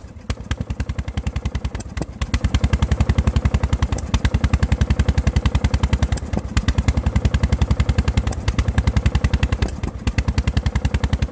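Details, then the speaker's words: Lawn tractor LT1000 single-cylinder before head gasket replacement: heavy, regular low knock about three and a half per second under sputtering run; knock suspected connecting rod, sputtering suspected from a valve, unconfirmed. "that very low knock that you hear uh that that sounds it sounds like the connecting rod that very low that very low knock"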